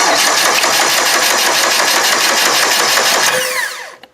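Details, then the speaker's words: Demolition derby car, starter jumped with a screwdriver before a push-start is fitted, cranks steadily at about four beats a second with no firing; fuel line likely drained and fuel pump left off. "starter I imagine it has no fuel yet cuz that line was drained"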